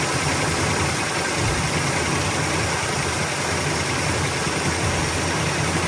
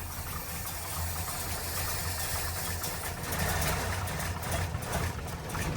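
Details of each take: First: 1972 Chevrolet Nova V8 with Holley carburetor, warm, after choke adjustment, leaning the mixture and adding ignition timing: steady even burble at idle with no misses or stumbles, loping settled; normal idle, small fuel pump leak noted. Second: 1972 Chevrolet Nova V8 with Holley carburetor at baseline idle settings, choke just adjusted, started after three pedal squirts: a low, lumpy, loping idle with no knocks. Rough idle from an overly rich mixture, needs leaning and more idle speed.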